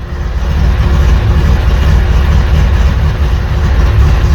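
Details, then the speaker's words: Freshly installed 2234 cc motor in Blue, first startup, cold idle before 30–40 minute run-in and oil change: deep, loud, slightly uneven lopey thumping; normal cold idle. "c'est comme ce dont je me souviens bien je Je vais le laisser tourner au ralenti pendant environ 30 minutes 40 minutes et je vais changer l'huile."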